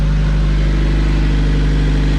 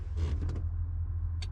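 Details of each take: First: Turbo LSVTEC Honda CRX, check engine lights on: steady running note sags into slow uneven chuffs as the engine dies; owner thinks the tank has no gas. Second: Honda CRX with turbo LS/VTEC swap converted to OBD1, ignition on, engine not running: steady low electric whir of the fuel pump priming; pump runs but no fuel passes the hard line.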